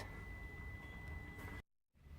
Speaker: so at this stage it's not detecting the switch so the computer is think in uh the passenger seat belt wasn't put on